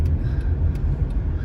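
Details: Honda City on CNG driving after repair of severe shaking and two stalls: steady low engine and road rumble with no stumble, misfire or jerking; runs smoothly, including at high revs.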